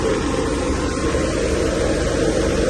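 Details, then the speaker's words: McQuay chilled-water commercial air handler after pillow block bearing replacement: steady fan rush, low rumble, grinding (previously jackhammer-like) gone, slight tap remaining; runs smoothly. "definitely that major grinding noise is gone got a little uh tap here from that"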